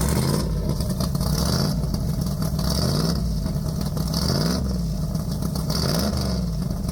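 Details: Deep, lumpy, loud, steady idle with repeated blips rising and falling cleanly, from a big-block in a four-speed Polara 500; no knocking, ticking or rattle; normal idle and revving.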